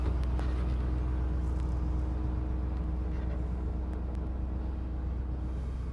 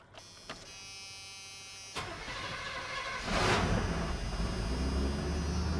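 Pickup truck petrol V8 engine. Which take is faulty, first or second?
first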